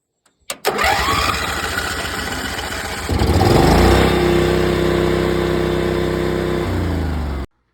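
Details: Small generator of unknown age, fired up right after an oil change to 10W30: the pull-start catches and settles into a steady, even run with a faint rhythmic tick. A healthy small engine that runs great.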